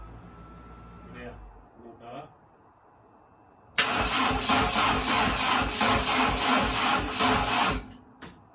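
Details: C20XE engine in a Mini after install, new coil, module and loom, battery connected: steady starter churn at about three pulses a second, never catching, cranked to build oil pressure, reaching 80 psi.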